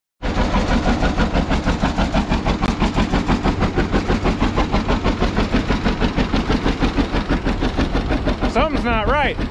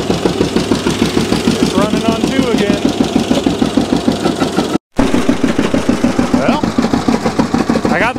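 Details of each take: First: this is what a john deere g sounds like when it's running on one cylinder Second: John Deere G two-cylinder tractor after replacing the wet, non-firing cylinder's spark plug with new Autolite 388 plugs and new plug wires: even putt-putt at about 200 beats a minute, both cylinders firing steadily; running properly again.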